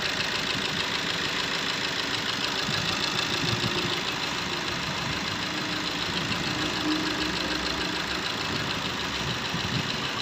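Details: Maruti Ertiga diesel (Quadrajet) idling: steady, even idle with a light regular clatter and no loud knock standing out; the engine sounds settled.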